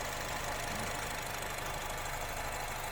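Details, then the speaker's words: Honda Freed engine idling with the hood open during a used-car check meant to last about 15 minutes: a loud, even idle with no tapping or stumbling. Normal; a faulty engine would start limping. "Usahakan menyalakan mesin ini 15 menit. Didiamkan begini, kalau terjadi kendala pasti nanti mesinnya akan pincang."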